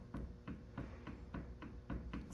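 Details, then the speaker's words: 2013 Camaro with highway vibration under load, hub removed: dull repeated clunks about three per second as the CV axle is rocked by hand, no grinding; quite a bit of play, worn CV joint, axle replaced to cure vibration. "So there's really no weird grinding noises here, but if I hold it, that's quite a bit of play, as far as I can tell."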